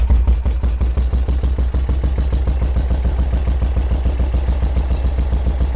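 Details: 1978 BMW R100S airhead twin with new plugs, choke on, one carb appearing dry of fuel: uneven, lumpy idle with heavy thumps about three a second and gaps between them; owner believes only one cylinder is firing; running on one cylinder.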